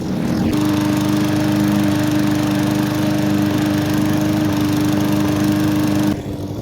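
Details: Hyper Tough push mower with Briggs & Stratton engine, found discarded: steady even engine note holding constant pitch under mowing load, no misses or knocks, then easing off; runs healthy.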